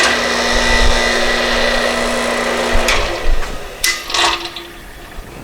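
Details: Replacement motor fitted to a nearly 20-year-old Porter Cable 5 HP 60-gallon air compressor, test run with belt off: steady electric hum and even whirr, then smooth spin-down with no rubbing or grinding; motor runs fine.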